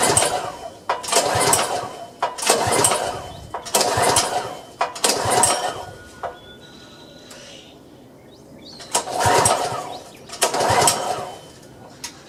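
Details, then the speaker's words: Power washer engine that won't start, air cleaner off and carb cleaner sprayed in, before carburetor cleaning; repeated pull-cord bursts about every 1.5 s, each dying without catching; cranks, no start. Spark later confirmed and a varnished float bowl found. "I'm getting nothing so I think I need to check for spark"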